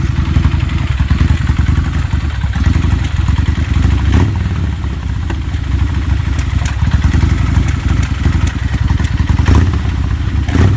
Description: Something happened to drastically change the timing or mixture or?? Running very rough.